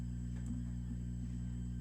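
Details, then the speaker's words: Fender Hot Rod Deluxe III tube amp needing full service, weak signal through volume control: constant low hum with a thin high whistle on top, attributed to the installed mix of older tubes; cause suspected, not confirmed. "you do have some underlying hum in the background due to these guys you could hear this whistling"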